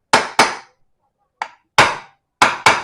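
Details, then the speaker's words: Vario rear wheel wobble repair: sharp hammer blows in quick pairs ring crisp and solid with no give left as the bearing bottoms out; the sound tells it is fully seated, don't force further. "Kalau didengarkan dari suaranya itu dia ini udah mentok ya, posisinya sudah pas ataupun press ya. Kalau misalkan kita masang laker itu harus bisa membedakan suara."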